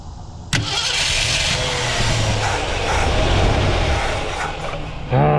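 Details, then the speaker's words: 1967 Ford Galaxie 500, sat abandoned, fuel poured into carburetor, new tank and suspected bad fuel line: catches after a crank then runs ragged, surging and stumbling; carburetor and vacuum leak suspected. "Still crank, pulled a little bit of fuel."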